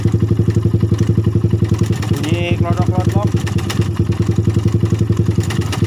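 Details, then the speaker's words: Suzuki Satria FU single-cylinder idling: rough, uneven ticking clatter about four times a second around the cylinder head, intermittent; owner suspects failed tensioner letting the chain go slack. "langsung saja kita hidupkan ini ya ini bunyi kasar di sekitar sini"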